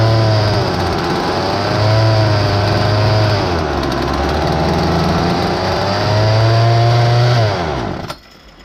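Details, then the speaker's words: Poulan Wild Thing chainsaw with aftermarket carburetor kit: revs hunt and surge up and down instead of holding steady, from a large air leak around the cylinder base. Air leak at cylinder base. "i got it on it's all fired up and runs but has a massive air leak and it's right around the cylinder base maybe i'm going to start it up and show you what it's doing"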